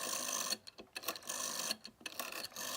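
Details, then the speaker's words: 1970 GPO 746F MK1 red rotary telephone by Dennis Ferranti Meters, dirt on dial back plate and finger wheel: light scratchy ticking whir as dial returns, slow and uneven; slow, scratchy dial needs servicing. "dial's a bit scratchy sounding. It's a bit slow, so that'll need a bit of work."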